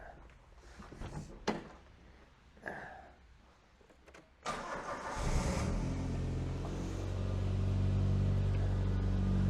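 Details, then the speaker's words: Imported 1990s Japanese car with a weak battery, cold start then idle: lumpy, chugging, uneven idle about four beats a second, suspected misfire, not yet diagnosed. "Don't know if you can hear, but she kind of chugs away. It's a bit of a misfire in it."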